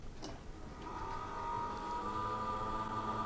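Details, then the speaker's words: 2012 mid-tower PC with AMD Athlon II, original CPU fan: thin steady whir with faint rough gritty edge; dust suspected in fan mechanism, grinds then eventually smooths; replaced with Cooler Master Hyper 212 EVO; CPU fan bearing grinding. "that is the CPU fan I think over time what's happening is some dust has gotten into the fan mechanism and it grinds awhile and at some point it finally shuts up and go smoothly"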